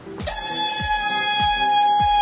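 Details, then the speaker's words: Press squeal heard while seating a bottom-end bearing into the case of a 2003 Honda CR125 during a rebuild: a loud, steady, fairly high horn-like tone for about two seconds when the hydraulic bottle-jack press is released, then an abrupt stop; cause unknown. "still not sure why this press makes that noise when i release it"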